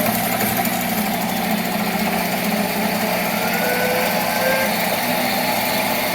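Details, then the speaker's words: Monarch 10EE 30-inch lathe first run after about 20 years idle: smooth even spindle hum at steady pitch, no knocking or grinding, with clicking from contactors dumping power into braking resistors; normal run. "okay the clicking that you hear of course is the uh those uh contactors that are dumping the um power into those uh big resistors that slow it down so anyway that sounds pretty good"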